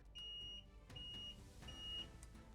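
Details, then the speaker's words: Starter-relay-wired Alpha moped from childhood, after 8 months of repair: starter turns but the bike won't start; the warning buzzer sounds normally, three sharp high beeps about half a second each over quiet background. "Damn, it works. And even some kind of buzzer works."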